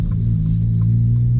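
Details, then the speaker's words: Honda Civic Si with K20 engine fitted with the stock exhaust, idling: deep, steady low rumble with a soft, even throb, nothing rattling or ticking; normal healthy exhaust note. "ronco desse cara desse desse k20 galera ele colocou escape original já é um Ronco bem legal velho"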